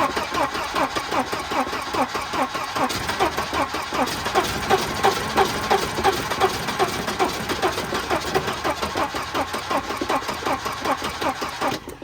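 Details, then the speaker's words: Wrecked Volvo 240 with previously stuck B230 engine, spark plugs in, good compression: steady cranking chug about three beats a second that catches feebly then dies; weak ignition, questionable coil fed 12 volts overheated and burned up. "Well, it's got spark. Firing, and then it's heading away."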